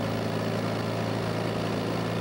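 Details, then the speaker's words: Toyota 4FG/4FD forklift, torque converter stall test in forward gear at full throttle: a steady, even loaded drone with no flare or surging. Speed falls from a 2600 rpm maximum to a 1700 rpm stall speed. Normal. "unlike the last test this time there should be a large change in the engine speed this truck's maximum speed is 2600 RPM the result of the stall test is, 1700"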